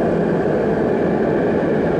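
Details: Riello RDB kerosene oil burner after new Danfoss 0.6 USG/h 60° EH nozzle, pump pressure being wound in and out on the gauge (set around 8 bar): steady even roar of flame and fan, no surging or pulsing; firing properly.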